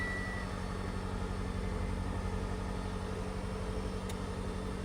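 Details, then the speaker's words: 2010 Mitsubishi Delica D5 4WD van, 159,000 km, just started after cleaning battery corrosion: steady, even low engine hum with smooth regular beat, no knocks or ticks, air conditioner kicking on; healthy normal idle. "Sounds real healthy. Air conditioner's kicking on."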